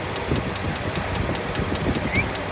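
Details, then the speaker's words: 2015 Ford F-350 Super Duty 6.2L V8 idling with a sharp, regular tick about five times a second from the number 5 ignition coil boot arcing to the head after a water spray, causing knock sensor code P06B6. "You can hear the arcing right there."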